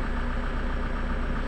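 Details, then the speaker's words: Toyota Innova 2KD diesel after repairs and EDU replacement; rail pressure reaches about 29,000 kPa and it now starts easily; steady, even diesel clatter with smooth low rumble, no misses or knocks; normal idle. "kita coba hidupkan lagi mesinnya hidupnya sudah sudah gampang"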